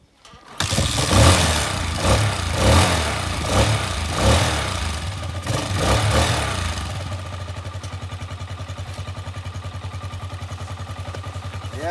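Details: Small motorcycle with a suspected weak Gatoma GT150A battery: about eight hefty kicks, roughly one every half second, then it fires and settles into a steady, even little idle; normal kickstart and idle.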